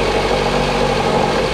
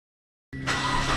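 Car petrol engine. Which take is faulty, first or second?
first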